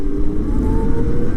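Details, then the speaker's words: CyberX e-bike after a belt drive conversion, recorded while riding: a low road hum with a faint motor whine climbing in pitch and no chain clatter. The belt drive runs smooth and quiet. "Holy crap, you can't even hear the drivetrain. All the chain noise was literally from the front sprocket, and this thing still is quick, but I can definitely tell it's not quite as twitchy at the bottom end."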